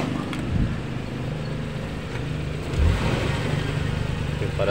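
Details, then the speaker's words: Suzuki Carry Futura pickup, sound at the exhaust: lumpy, uneven puffing with beats dropping out at idle. Revving makes the whole cabin vibrate and it lacks power on the road. Misfire, apparently with one cylinder not firing. "kita gas dia getar ya [Musik] teman-teman di situ terasa pada saat kita gas dia bergetar seperti itu bergetar semua di bagian kabin mobil ya"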